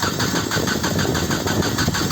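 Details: 1996 Nissan Altima, cranking in cold weather with no spark seen: the starter turns the engine at a steady churning rhythm of about five pulses a second, but it never catches. A crank no-start.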